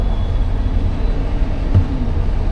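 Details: Car that would not start on gasoline, cranked right after the fuel pump was refitted and the empty fuel rail had to re-pressurise: the engine starts and runs with a deep steady rumble, slight unevenness, no knocks or misfires, normal running after the repair.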